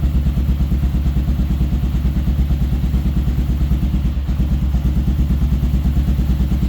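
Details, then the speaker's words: Kawasaki KLR650 single after carb cleaning and pilot mixture set to 2.5 turns: steady, even low thumping idle with no misses, hunting or knocks; normal idle. "It sounds pretty good, so I think we're getting real close to being able to ride it."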